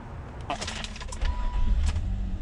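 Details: 2001 Nissan Maxima 3.0L VQ30DE with extended cranking after sitting, from a leaking injector: after the repair, a short crank, then it catches at once and settles into an even, steady beat; a clean start.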